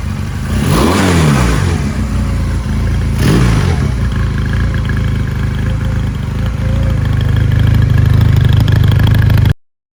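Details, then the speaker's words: 1999 Honda Rebel 250, obtained free, before any servicing: steady twin idle between two clean rev blips, no knocking or misfire; runs well, owner expects it to clear up with fresh oil. "A free motorcycle that runs and it sounds really good. I'm sure it'll clear up and once you put some fresh oil and stuff into it, so."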